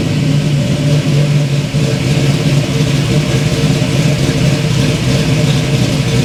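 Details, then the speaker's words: 1971 Chevy Nova V8, no choke, high-rise intake, still cold after a couple minutes running: loud lumpy rumble breaking up briefly as revs rise; stumble on revving, owner suspects cold engine, not confirmed. "Okay, so it runs-ish. It had a bit of a stumble there. But it might just be because it's still kind of cold and all that, which honestly is probably what it is."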